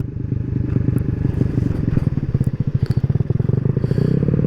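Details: Maddog 150cc GY6 scooter climbing Pikes Peak at full throttle, about 22 mph on GPS, in cold air. A steady low single-cylinder drone holds even under load; the clanking heard is the helmet strap, not the bike. The engine is running normally.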